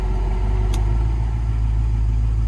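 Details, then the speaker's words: 1974 Jensen Interceptor Mk 3 idling with its newly installed R134A air conditioning running: deep, steady idle holding even under the compressor load, engine note changes slightly but no hunting or stumble; normal. "you can also hear the engine change."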